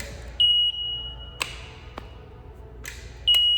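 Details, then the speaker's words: Mart Cart mobility cart after the controller was refitted and the throttle potentiometer aligned. Two long high beeps with sharp clicks between them, and no motor hum follows. The motor fails to engage; a loose or broken wire between controller and motor is suspected. "so now we've we've got a problem here that you hear that clicking noise and the beep that's the motor trying to engage and it's not working i suspect that we have a loose wire or a broken wire somewhere between the motor controller and the actual motor"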